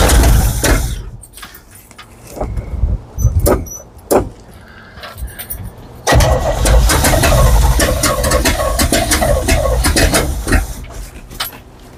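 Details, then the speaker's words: 1970 GMC 2500 3/4-ton truck, first start on fresh non-ethanol fuel: cranks and catches in rough bursts, runs unevenly a few seconds then sags and dies; won't stay running. "She doesn't sound like she wants to stay running now."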